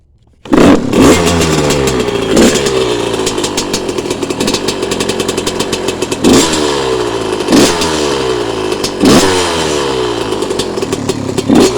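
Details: Yamaha YZ125 two-stroke, couple of hours on it, after draining water from carb following a no-start: crisp ringing note climbing on each throttle blip and dropping back cleanly; runs despite water in the fuel.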